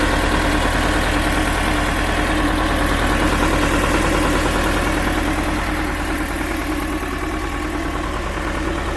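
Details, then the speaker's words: Belarus 250AS tractor, two-cylinder air-cooled high-compression diesel, 12 volt, after fitting large 3/0 battery cables to cure hard starting: steady even idle clatter, no misses or knocks; normal idle. "Okay, the tractor started way easier with the large battery cables, and given these cables are really large, but we have had similar issues with tractors before, especially if you're running 6 volt."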